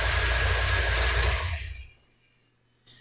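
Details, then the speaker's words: 1987 Corvette C4 engine running with a high, rhythmic squawk about four times a second before shutdown; serpentine belt itself squeals, though the tensioner was first suspected and also squeaked when removed. "so it's still squawking I did not check this normally I do beforehand to see if that's what the squeak was I assumed it was a bad belt originally and then I found the tensioner of having an issue as squeaking when I was pulling it off so it looks like the belt is actually squeaking"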